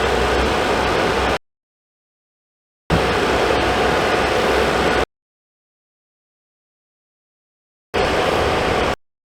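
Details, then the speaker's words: Suburban SF-30FQ RV furnace after replacing the control board with a Dinosaur board; fires right up, steady rush of blower air with no rattles or squeals, smells fine. Normal furnace blower running. "L it two more times so fires right up sounds good smells good"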